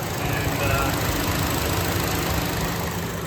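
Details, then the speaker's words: Chevy Cruze (2014 in title, 2015 per speaker) with codes P0171 and P1101; it ran rough and stalled at a stop sign. A ripped PCV diaphragm sucks air into the crankcase, causing a lean condition. Lumpy idle with a faint sucking hiss; vacuum leak. "the diaphragms ripped and it's sucking that air right into the crank case uh and uh it's causing our lean condition"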